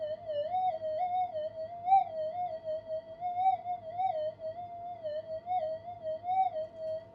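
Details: Upgraded Minelab GPX 5000 on full gain, double-D coil, in a workshop: mid-pitched tone wobbling irregularly, with electrical interference chatter burying the faint target response.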